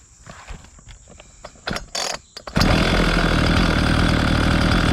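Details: Homelite 4218C chainsaw: a few pulls, then catches and settles into a fast, even two-stroke idle; running properly.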